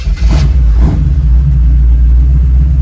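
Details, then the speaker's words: SBC 350 V8 in a '36 Chevy coupe, restarted hot mid test drive: cranking, two laboring revs, then a rough settle into a low rumbling idle. The owner notes it dislikes hot starts; cause unknown. Hard hot start. "Doesn't like hot starts, I've noticed. Not a lot I can do about that, I don't think."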